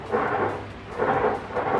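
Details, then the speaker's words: Car subwoofer power amplifier, gain potentiometer turned: rough crackle bursts about every half second, persisting after cleaning; pot to be replaced. Scratchy gain potentiometer. "kroso krosok Ini tadi sudah saya coba bersihkan tapi ternyata cross cross Oke masih kuat banget udah tak bersihkan ini er masih prosok banget"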